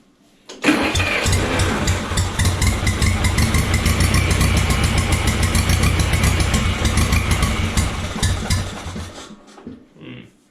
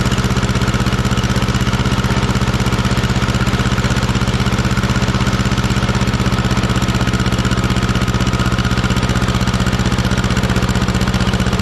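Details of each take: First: 1950s barn-find Schramm air compressor engine, first run after revival, air valve open for starting. Catches, runs with uneven lumpy beat, then sags and dies, starving for fuel; owner suspects float set too tight, and a temporary tank not delivering fuel was found. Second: 1950s barn-find Schramm air compressor engine, carburetor adjusted after it couldn't hold rpm once the unloader kicked in, poor muffler: steady even low thump near four beats a second without misses or surging; normal running.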